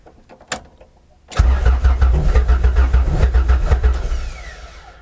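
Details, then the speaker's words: 1992 Honda Accord CB7, first start after rewiring, fuel pump disconnected, powered by jumper cables for priming oil pressure: starter spins the engine evenly for about three seconds with regular compression pulses and no firing; normal cranking. "almost like it's trying to crank over from the compression"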